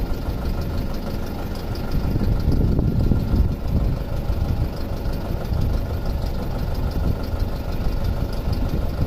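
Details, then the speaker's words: 2006 Audi A4 2.0T with codes P0300/P0303 (cylinder 3 misfire), weak fuel pump found earlier; idles with low, uneven exhaust beat and occasional missing pulse, seen on pulse-sensor sync. Finding: cylinder misfire at idle. "Looks like we're missing an exhaust pulse right here."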